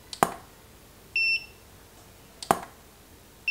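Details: Godox SK400 II studio flash after repair of E3 error and weak power; each sharp flash crack followed about a second later by a short, clear high beep as it recycles; normal flash recycle beep.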